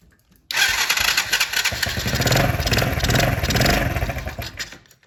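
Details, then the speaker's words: Kids' Chinese 110cc ATV fitted with a brand-new carburetor, choke off: it catches, revs raggedly for about four seconds, then fades out. The new carb still leaks; the mixture screw at the bottom was found fully tightened. "out the choke on so now it's off and now it's still leaking I'm not sure why it's leaking brand new carb but we'll see now"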